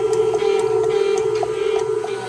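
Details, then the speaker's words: KitchenAid Artisan stand mixer turns on but doesn't spin: steady motor hum with light ticking and no load change, motor spins freely, stripped plastic worm gear before replacement. "Then you turn it on and you can hear the motor going, but it seems to be that that the gear is like"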